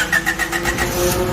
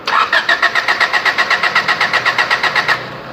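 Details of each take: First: Honda with D15B petrol engine, earlier no-start from weak fuel pump pressure: brief rhythmic cranking, then the engine catches and runs steadily; starts normally. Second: Honda three-door with D15B petrol engine, cranks but won't start: even starter cranking about four pulses a second, no firing; spark present, injectors spray but fuel pressure too low from a weak fuel pump, replaced.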